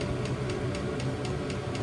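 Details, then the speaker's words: New diesel heater in VW T25 Westfalia, dosing pump mounted inside the vehicle; sharp regular ticks about four a second over low hum, quite loud constant fuel pump tick, normal operation. "The thing that's noisy, uh, as I've read on the internet already, is the pump, the constant tick, tick tick. It's quite a loud tick."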